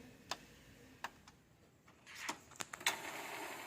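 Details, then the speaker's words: Epson L360 printer during repair of all-lights-blinking error, main board wired to the part directly instead of flex cable; at power-on the earlier noise is gone, light ticks then a normal carriage whirring pass, scanner not yet reconnected. "Ayan, mapapansin natin wala na yung ingay, tapos nagmo-move na yung part ng printed, ano?"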